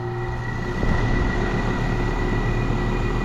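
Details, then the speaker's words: Eight-year-old condenser unit, still under manufacturer warranty, at start-up during preventive maintenance: fan motor hums with a rough rumble and thin whine, dry worn bearings; motor to be replaced. "listen to this those bearings sound dry this is a system that's still under manufacturer's warranties eight years old I may recommend that we replace this motor"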